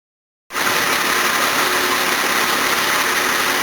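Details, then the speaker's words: Series 1 Jaguar XJ6 with twin SU carburettors, no choke, stone cold on a freezing day after a water pump and thermostat replacement. It catches right away and settles into a steady, even idle with no stumbling, despite poor fuel and the alternator load kicking in. "twin Su cares on no choke on a freezing cold day that's actually incredibly good"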